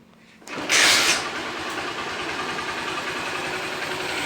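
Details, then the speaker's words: Honda Fan 125 motorcycle that had an engine noise, after engine teardown: kick start, quick catch, then steady quiet idle with no throttle and no top-end ticking; rockers judged fine, no replacement needed for now. "Olha o barulho do motor aí. Só o filé, galera, bem caladinho aí, ó."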